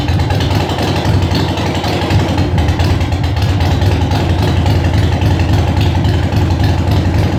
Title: Sporty first start after Rebuild